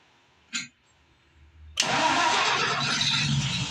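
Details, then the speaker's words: Rebuilt Ford 215 six-cylinder truck engine, new spark plugs, reversed wire fixed: short crank, pause, then a rough uneven catch; hard start, suspected out of time. "Oh, we got effort. That sounds good. Try it again. Uhoh. I think it's out of time."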